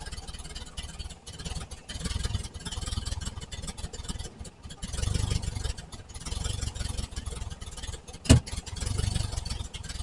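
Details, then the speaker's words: 1968 VW Type 3 Squareback with original Bosch fuel injection: low, lumpy idle that won't rise with throttle, then a sharp pop back through the intake; intake backfire suspected from a massive vacuum leak at the intake manifold. "Intake backfire. Timing? I mean, this throttle's doing nothing. It's at least idling, but weird. Yeah, vacuum leak?"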